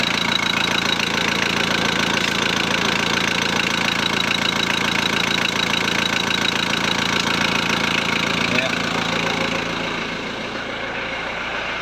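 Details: VW Transporter T4 1.9 TD diesel at first fire after reassembly, with cam followers replaced to cure a rattle: even idle with a steady clatter of about four beats a second and no tapping above it; sounds healthy.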